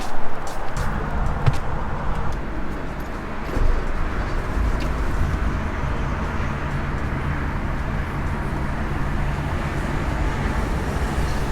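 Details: 1954 Ford Crestline Victoria, 239ci V8, manual three-on-the-tree with overdrive: cranks and catches within a second, then settles into a low, steady, even burble with no knocks or misses; a normal start and idle.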